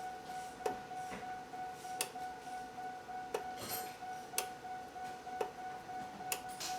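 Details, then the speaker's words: GMC/Chevy 6.0L truck with code P0449: EVAP vent solenoid fed straight power gives sharp, crisp clicks about every second as switched on and off; solenoid and control wire are good, fault is in the solenoid's power feed. "so our solenoid is now clicking so what I'm doing here is I'm just turning this on and off listen"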